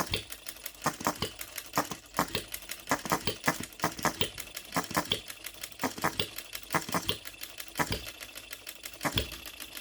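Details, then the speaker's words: OKMO Retrol B02 miniature petrol hit-and-miss engine on shellite, very first start, straight out of the box with no adjustments: sharp pops about once a second with quiet coasting gaps between firings; healthy hit-and-miss running. "Listen to that hit and missing. I'm so pleased with this. Look at that running."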